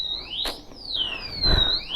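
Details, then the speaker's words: BMW G310GS motorcycle that will not start, with a disc lock fitted: a loud warbling electronic siren sweeps up and down in pitch about every second. The disc lock alarm is sounding. "டிஸ்க்ல போட்டு இருக்கேன் so அதனால sound பயங்கரமா வருது"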